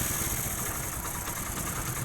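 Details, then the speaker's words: Motorcycle after timing chain replacement and tappet adjustment (loose tappets), oil pump checked fine: steady even low idle putter, no timing chain rattle. "इसका जो sound है वो बिल्कुल अभी ठीक हो चुका है टाइमिंग चैनल की कोई थोड़ी सी भी आवाज नहीं है"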